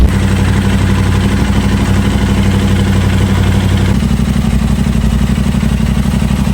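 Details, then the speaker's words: Crash-damaged 2023 Aprilia RS660 during rebuild, first start since acquired, coolant just added, confirming engine health: crisp, even firing pulses at steady idle, settling slightly partway, no rattles or misses; normal idle. "But there's no way to know 100% without actually hearing it start up and letting it run, which it just did."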